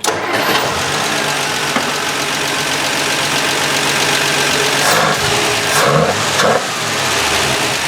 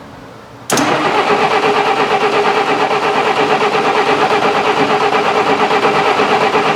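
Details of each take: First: Canadian 1966 Valiant six-cylinder, sat over 20 years, after reconnecting a loose spark plug wire: it catches and settles into a steady, even idle with no stumble, all six cylinders firing. Normal idle. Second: 1966 Canadian Valiant, low mileage, engine not started in 10 years, cranking with cold oil to build oil pressure: labored starter drone, lazy pulse near three per second, no catch; slow cranking from a weak battery.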